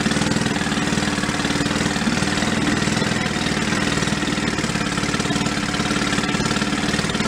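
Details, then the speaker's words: 1937 Sears Water Witch 2.5hp outboard, 83 years old, revived after about 60 years in a shed, main jet just opened: fast, even popping at slow idle, steady beat, no misses or knocks; clean normal idle. "seems like he's doing fine you have to between high rev and low rib uh idle higher rpm you do have to make adjustments to the air fuel mix"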